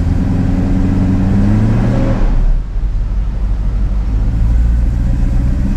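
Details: 1990 Mercedes-Benz 500SL R129 with M119 5.0-litre V8, starting unreliably: deep, even V8 burble holding a fast, steady idle with a brief dip midway; idle speed too high; when warm it reportedly sputters, misfires and stalls.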